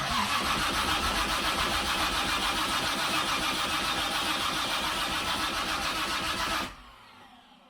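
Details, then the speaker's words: Freshly rebuilt engine (forged pistons and rods, 10.3:1 compression, Isky lifters) at first start; catches straight away and holds a loud steady fast idle about six seconds before shutting off; runs normally. "Oh, I heard something. At least something. Sounds like it's running. It's pretty loud."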